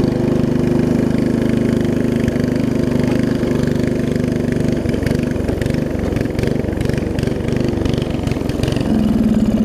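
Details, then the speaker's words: Murray widebody riding mower that sat for years, run on choke: small single putters unevenly and stumbles at fast idle. Owner suspects a leaking needle and seat or flooding, too little fuel through the line and a worn carb; rough running on choke. "It sounds fine though when it's running. Like I said, it's not the best running thing in the world. See if I can get it started on choke again."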